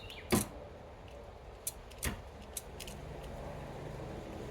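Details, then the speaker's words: F-body hatch release during diagnosis: a few sharp, irregular clicks over a quiet cabin as the release fires intermittently. The switch seems good, and the owner suspects a bad connection at the switch connector. "Okay. I appear Well, I think we can hear that uh my switch is good. I'm guessing I had a bad connection in here."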